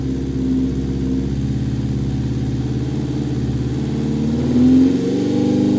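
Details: Vintage Honda 400 Four, 4-cylinder SOHC motorcycle, first start after fitting carbs and coils and setting points, fuel on reserve, on choke, no throttle cable: runs a touch uneven, steady low burble that lifts briefly; rough first-start running.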